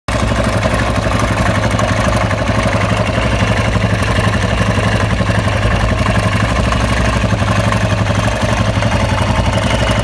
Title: Husqvarna SM610 engine strange noise